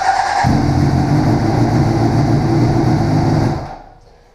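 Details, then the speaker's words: 2007 Honda CBR600RR with fresh fuel but no engine oil (cover awaiting replacement): fires instantly and holds a crisp, steady idle for about three seconds before being shut off; starts and runs cleanly. "it fires right up and runs. I'm not going to run it because there's no oil in the engine because I need to replace that cover."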